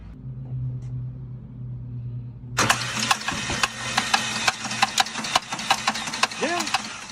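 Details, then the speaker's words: Car that started making a noise and has gone 12,000 miles on one oil change: the engine cranks and catches, then idles with uneven tapping clicks. Cause unconfirmed; the overdue oil change is suspected. "you've went 12 000 miles on an oil change i bet it does make some noise we'll find out"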